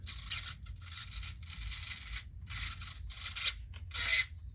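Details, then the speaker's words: 9imod BLS-HV60MG 60 kg direct-power servo (tested at 14V and 12V), full sweeps under load in a crawler: bursts of harsh, gritty whirring, each a second or less, rougher under load; noisy gear train, fine unloaded. "So he's a noisy boy, like gear train wise, which leads, if I hadn't just gone through the effort of mounting that up, Like if I had been, well, and you can't test it."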